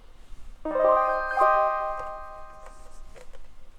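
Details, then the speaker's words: 1984 Suzuki Omnichord OM-84 after resoldering joints for a common fault, on bench power: drums and chords play cleanly and fade smoothly with no crackling, pops or dropouts. "No crackling. Do our drums work? Do our chords work? Yes."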